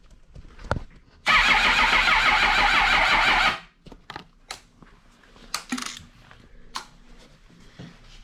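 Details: 2006 Suzuki GSXR 1000 being rebuilt after a wreck, cranked right after a new starter was installed: about two seconds of strong, even whirring, then a clean stop; the new starter cranks normally.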